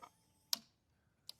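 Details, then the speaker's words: 2013 Honda Rancher 420 ATV, starter button does nothing: flipping the cut-off switch gives two faint crisp ticks as a relay/solenoid pulls in (and possibly the fuel pump), so the switch is good. "something kicks on over here and then you can hear a relay uh solenoid picking up back here so you know that switch is good"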